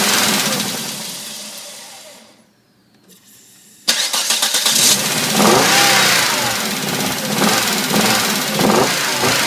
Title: 1997 Volvo 850R rough idle after head rebuild